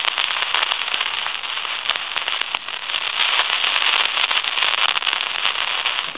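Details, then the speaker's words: Elephant brass telephone handset with old T1 transmitter: constant crackling, popping static hiss on the line with no clean tone; worn transmitter causing static, to be replaced with a new T1. Faulty transmitter causing static. "Now if you can hear that static sensation, that's coming from the transmitter, and that's going to cause a bunch of static sensation."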